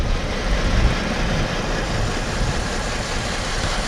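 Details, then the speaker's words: Engine with fault code P0202, running rough: low, lumpy idle stumbling unevenly; cylinder 2 dead because the computer never grounds its injector circuit (no scope pattern, stuck at 13 V); dead cylinder misfire. "अब दोस्तों, अब मैं connected हूँ number 2 पे, cylinder number 2 पे, और इस पे कोई पैटर्न नहीं है। कंप्यूटर इसको बिल्कुल ग्राउंड नहीं कर पा रहा।"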